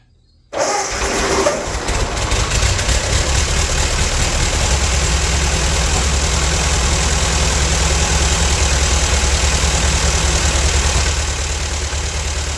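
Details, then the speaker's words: Old Ford tractor rained on for years, started on a makeshift fuel feed, likely running on old fuel still in the line and carb: catches at once and settles into a smooth, even low idle, no smoke; a good runner. "but dang I mean that thing ran good didn't smoke at all I think we got a good runner"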